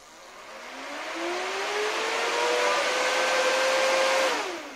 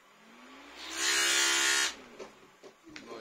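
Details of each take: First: New replacement blower fan in an inflatable costume bear suit, powered from a battery for testing before gluing; spins up with rising whine, holds steady even tone, then winds down; normal fan operation. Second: Old fan in an inflatable costume bear, tested on a battery before replacement: motor hum climbs as it spins up, then a harsh rough rushing hiss before cutting off; abnormal fan noise.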